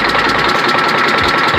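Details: Detroit Diesel Series 60 11.1 in a Freightliner FLD120, cold after a hard start with bad injectors: rough, lumpy idle with a sharp repeating knock; apparently running on only 2 cylinders, others still cold. Owner plans to pull the injectors.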